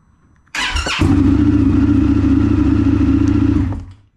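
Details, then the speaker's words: 2022 Indian FTR 1200 base first crank on new NOCO lithium battery, still charging at about 13 V and not fully charged: brief crank, fires almost instantly into even idle; quicker start than before, starter and battery healthy. "much quicker so this thing isn't even green the battery is not fully charged yet and the crank was almost instant"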